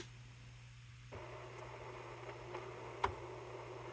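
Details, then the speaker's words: Pearce-Simpson CB radio, power, antenna and positive and negative wires hooked up, no microphone yet: steady low hum and faint hiss, one tone, no signal or voice and no meter movement; meter possibly stuck. "it's funny I can hear sound but it's not it's not it's like one tone it's not doing anything I don't see nothing on the meter but the meter could be stuck"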